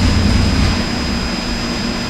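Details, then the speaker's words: Engine long left sitting, just run on a dyno, restarted several times: it settles into a steady, even idle with a constant low rumble and faint high whistle, no stumbles or knocks, starting and idling nicely. "and by the way it starts really nice see shut it off turn it on one more time shut it off turn it on idle's nice starts nice"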